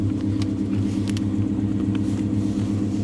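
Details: Hemi V8 salvage car idling, check engine and ABS lights on: deep steady lumpy rumble, even pulse, no ticks or knocks; sounds healthy.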